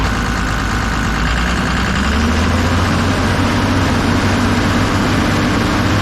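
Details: Kobelco SK250 excavator, believed 2006, diesel, after exhaust manifold replacement; deep roar held at raised revs with faint turbo whistle, heard in the cab, turbo now making boost, revs more responsively; smoke is cosmoline burning off manifold; normal.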